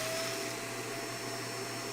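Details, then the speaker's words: Shark vacuum after an obstruction was cleared from the hose: smooth, steady motor whine with an even rush of air and no whistling or choking; normal operation with suction restored. "There was something in the hose though. There was something in the hose. Take a look. It was It was something in the hose."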